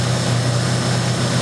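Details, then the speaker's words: 1996 Honda Accord just after head gasket job, valve lash set, exhaust valves ground: steady low drone at even idle with no knocks, ticks or misses; normal idle. "Wow, he loves life. That sounds so good."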